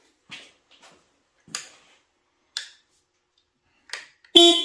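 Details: Harley-Davidson on a lift during a safety inspection: a few light switch clicks, then one short, clear, steady horn blast after the lights are checked; the horn works normally.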